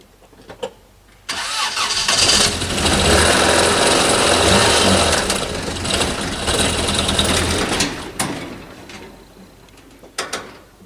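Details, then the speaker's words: 1989 Toyota Corolla engine: it fires and runs roughly for several seconds with a steady hard knock, then dies and won't idle. Suspected blown engine. "the engine's not running right sounds like it's knocking so so"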